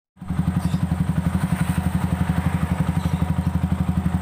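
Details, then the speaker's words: Yamaha Vixion engine after repair: failed water pump seal had let coolant run dry and mix with oil; piston, rings and cylinder block replaced; even, steady beat with no clatter; engine now runs smooth; normal running. "Ya, motor udah halus, pistonnya."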